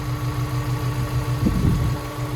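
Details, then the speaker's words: Rebuilt Honda S2000 engine, bored oversize with ARP head studs, running for the first time in over six months: a smooth, quiet, even idle with a steady low hum and no knocks or ticks. Healthy. "This thing is running so quietly. It's on right now. What in the world? She's purring."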